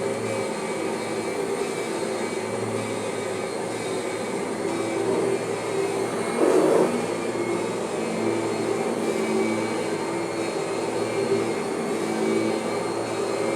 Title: Kirby normal transmission whine noise is mostly gone